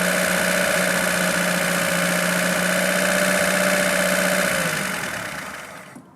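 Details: Lada Niva carburettor engine, idle problem traced to idle cut-off solenoid supply voltage fault; steady even idle hum with constant low note, engine dies near the end; idles normally while solenoid has power.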